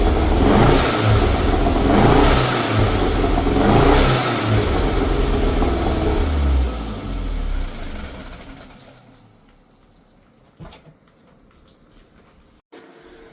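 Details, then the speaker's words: Toyota MR2 with 3S-GTE engine, pre-tune build: a few throttle blips with a lumpy, uneven beat that sounds like a miss though owner says it isn't, then shutdown; running rough, owner will restore stock vacuum routing and suspects an ECU may help. "you guys heard it it still doesn't sound that great um it almost sounds like it's missing but it's not it's it's really weird"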